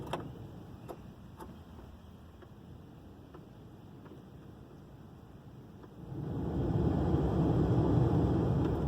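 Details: 2000 Ford Explorer Limited with automatic temperature control, blower run with nothing in it: light steady ticking about four per second, then fan spins up with a rushing whir; owner suspects the motor, and a broken tooth is then found.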